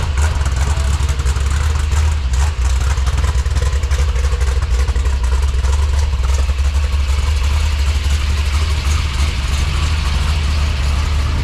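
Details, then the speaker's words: 1966 Corvette 427/425hp big block, about 15°F, poor old fuel: uneven stumbling idle, drops to about 800 rpm in gear; suspected loose plug wire, one boot later found not clipped on. "yeah gear drops at about 800 RPMs it's not running right we think we got a plug wire off"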